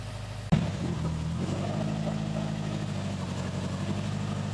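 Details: 2005 Subaru WRX STI after a crash, timing reassembled to marks, primed and started out of gear; catches after a short crank and settles straight into a smooth, even idle with no knocks or ticks; normal start and idle.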